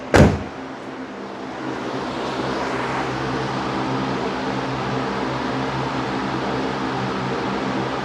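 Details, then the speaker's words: Engine first started after driveshaft failure and exhaust manifold replacement: steady fast idle that races and never settles; owner suspects a large vacuum leak, nothing obvious found yet. "sounds like there's a huge vacuum leak somewhere which is why it's trying to take off to mock Jesus"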